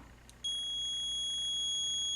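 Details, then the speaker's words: Multimeter on continuity setting, probes touched together (about 0.4 ohm shown): clean steady high-pitched beep that holds unbroken, indicating a good low-resistance connection. "you just want to know that there's a basic connection from point A to point B and it and they beep that's why that symbol is a speaker"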